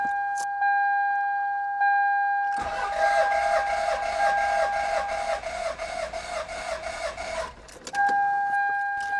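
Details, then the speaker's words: Toyota Celica, jump-started from a GOOLOO A5 4000A pack: steady rhythmic cranking for about five seconds, starter spins the engine evenly but it never fires; owner suspects a fault, possibly fuel, not confirmed. "And yeah, I'm not so lucky. My Celica didn't really start, so for sure there's something wrong with it."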